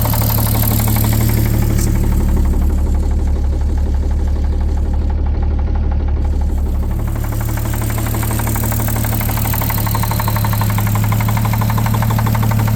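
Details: 1950 Chevrolet 3800 one-ton with Chevy 235 six, abandoned since 1977, steady idle with firm regular knock about three per second on the engine beat; full 60% oil additive dose did not remove it: worn rod bearing knock.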